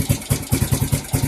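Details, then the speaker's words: Suzuki GZ250 single after carburettor cleaning, idling: lumpy idle around six beats a second with a dry ticking clatter, quieter than before; valves still noisy and needing adjustment; valve clatter. "Valves are a lot quieter than they were, that's for sure."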